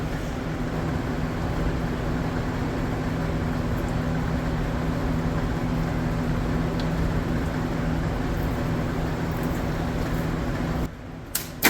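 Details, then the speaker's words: 1965 Mercury Comet Caliente, not run in 10 years, run on fuel fed into the carburetor after its timing was retarded slightly; steady, even rumble with no knocks, clatter, banging or hammering, so the engine is judged probably good. "Well, no funny noises, no clatter, no banging, no hammering. At this point, I'm going to say the engine is probably good."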